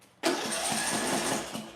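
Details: Small engine with ignition coil air gap set wider than the recommended 0.010: brief burst of engine noise fades within two seconds and it won't keep running; too-wide coil gap gives weak spark.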